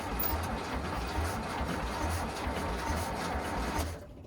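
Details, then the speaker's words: VW Bus engine neglected about 30 years, carburetors untuned, auto chokes opening, battery tiring: even, rhythmic starter chugging about four beats a second with no firing, then stops. Prolonged cranking without starting. "Battery's getting a bit tired. >> Yeah, I was going to say."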